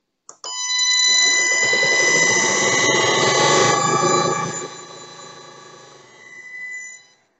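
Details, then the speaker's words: Motor driven by a frequency inverter with the switching frequency set to 1 kHz gives a loud, steady metallic whistle with stacked high tones over the running motor; raising the switching frequency moves the noise beyond hearing. "eu vou confirmar aqui esse parâmetro como um é um quilo Hertz nesse caso né são 1000 pulsos Então por segundo eu vou confirmar reparem como o motor vai ficar bastante ruidoso"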